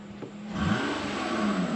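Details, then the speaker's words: Low-mileage but hard-used 2008 Lexus ES350 revved from idle. A raspy, puffing edge rises over the engine note under throttle, revealing a small exhaust leak. "We do have a small exhaust leak. If we go ahead and rev it up, you'll hear it."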